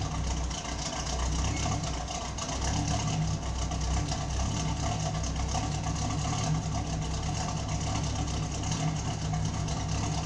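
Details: 1972 Firebird with Buick GS engine, just after refitting exhaust with a replacement muffler after the old one blew apart: deep even idle burble, no puffing or rattles; exhaust sealed, engine runs normally.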